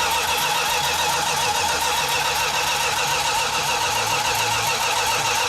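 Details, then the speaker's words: 1969½ Dodge Super Bee, 440 Six Pack, 4-speed, remote fuel tank: even fast cranking six seconds, no firing; fuel leak from two different size fuel lines and loose carburetor fittings; once tightened, kept cranking, it leaned out and fired up. "we found out we had two different size fuel lines one from the engine to the remote fuel tank so when we initially tried to start cranking the engine over we had a nice fuel leak"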